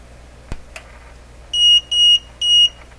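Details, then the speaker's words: Multimeter's over-24-volt alarm sounds while measuring about 134 V plate voltage in a Westinghouse 636 radio output stage: three short, high, even beeps about half a second apart in a quiet room. "whoops it's the over 24 volt alarm going 134 volts"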